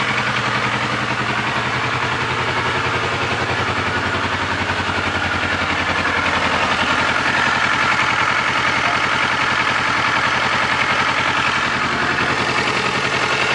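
Idling engine with a steady, fast ticking clatter of about three or four beats per second over the running note; source unknown.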